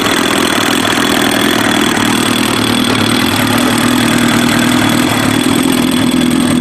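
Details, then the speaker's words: Kawasaki ZX-7R with FCR41 flatslide carbs synced and idle circuit leaned, fuel screws 1 turn out: smooth, even idle with no hunting or stumbling; four cylinders balanced, carbs well synced. "So you can hear how much more stable that sounds, and it's pretty clean."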